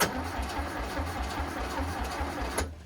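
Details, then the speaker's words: VW Bus engine neglected about 30 years, removed and cleaned of mouse nests, cranked via improvised starter switch with fuel pump running and carbs fed: steady rhythmic chug about five beats a second, one puff suggesting some spark, no catch. Crank, no start. "All right. Power back again. There was a puff, so it feels like we have some variety of spark."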